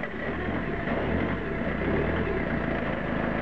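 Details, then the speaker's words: Citroen Picasso diesel after converting the failed in-tank fuel pump to an external inline 3.5-bar pump (3-bar original): even diesel clatter at steady idle, no misses or hunting, pump a bit noisier outside the tank; normal idle. "This pump is actually a 3.5 bar. It's a little bit noisier because it's on the outside of the tank"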